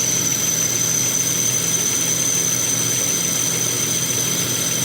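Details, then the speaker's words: Volvo 164E with D-Jetronic injection, idling just after injector work: steady, thin high-pitched whistle held constant over an even idle. Source of the whistle unknown. "Ooh, who's whistling?"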